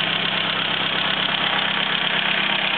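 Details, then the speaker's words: 1934 Morris 10 convertible, cold engine: steady, even idle, exhaust no longer blowing, running a bit better; normal idle. "a that's probably quiet now and that's cold that runs a bit better the exhaust isn't blowing"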